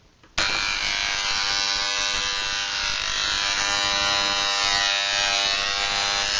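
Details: Moser 1400 hair clipper (likely a counterfeit pet clipper, about 3 years of occasional use on dogs) switches on into a loud, harsh rattling buzz from the armature; usually fixed by turning the adjustment screw on the body.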